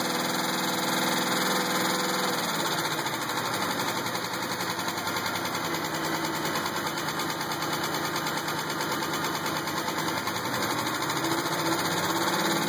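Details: 2000 GTP engine at idle: regular light knock, roughly three to four per second, staying consistent as revs ease; owner doubts flexplate, suspects a spring, cause unconfirmed.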